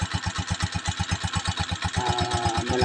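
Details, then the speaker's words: Honda TMX 125 Alpha single, low kilometres, idling still cold in the morning after kick start, idle set at about 1,000 rpm: even thumping about six beats a second, no stumbles; carburetor air-fuel mixture correctly tuned, healthy idle. "Oh ito yung Menor niya tamang-tama lang yung Menor niya 1,000 yan Ganun lang guys tamang timpla sa hangin at fuel niya"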